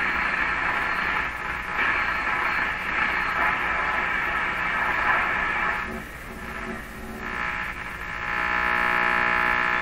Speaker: so it sounds like the radio's picking up a lot of stuff but it's not picking up any stations